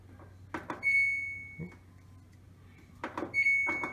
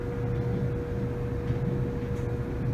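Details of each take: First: Samsung DV45H7000GW/A2 dryer running after three loads: high, thin squeaks every second or two as the drum turns; worn drum rollers, belt and idler, replaced with a kit. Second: Samsung DV45H7000GW/A2 dryer after the squeaking was fixed with a new roller kit: steady low rumble with a constant motor hum, no squeal; the drum turns smoothly.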